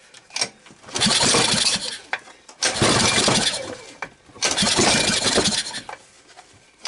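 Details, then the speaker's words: 1991 Tecumseh 5 hp engine, governor removed, cold-started on starting fluid after a dropped-valve repair, freeing a seized cam follower, removing debris and fitting a new side cover gasket: three rough firing bursts that catch and die; the engine fires. "so it started and at this point better stop because the wife's gonna smell it and then i'm gonna get yelled at"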